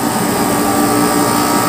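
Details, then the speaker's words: Portable aircon after a no-power repair and power supply conversion, non-inverter compressor: a steady, even hum with fan rush and no rattles or cycling; it starts at once, draws 3.4 A at a 22-degree setting and cools normally. "Yun, nabuhay. Ayan na, may display na. Buhayin natin. Yun, mandar na agad yung compressor."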